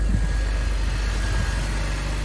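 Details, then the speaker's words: Long-abandoned BMW E46 325i Touring six-cylinder, jump-started, just needs petrol: smooth, even low idle with a steady beat, no knocks, ticks or misses. "It's not that bad. It just needs petrol."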